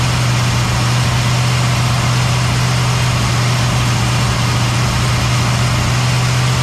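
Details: Cadillac ("Lil Debby") restarted after fuel-line hose clamps were tightened during diagnosis of a brand-new but failing fuel pump; steady, even low hum with no misses, knocks or surging. Normal idle.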